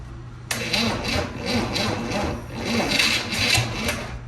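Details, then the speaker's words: 1963 Chevy 230 inline-six, sat about 35 years, after rechecking firing order and moving timing back, fuel down the choke: slow even cranking with sharper puffs as cylinders try to catch, coughing, smoking, wants to run. "Tried to fire. Back just past where it was to start. Woohoo! It wants to run, boys!"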